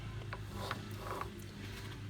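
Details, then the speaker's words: Polaris RZR Highlifter front differential on the bench, with play in axle cups and leaking: turned by hand, uneven dry clicks and gritty catch on each pass, a really noisy worn bearing; diff to be rebuilt. "I don't know if you can hear this that's a noisy bearing that is a really noisy bearing"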